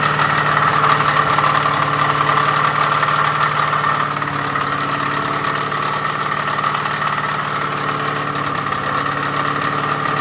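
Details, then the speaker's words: Ford 302 5.0 small block with GT40P heads, Isky hydraulic flat-tappet cam and quiet-power lifters during cam break-in: a fast regular tapping, about four per second, over the idle. A bad rod or crank bearing and at least one lost lifter are suspected. "Break-in did not go well. There's definitely a bad rod bearing, crank bearing, something in there. And anyways, I don't know if you could hear from the video clips I had of the motor running and breaking in. It just didn't sound good."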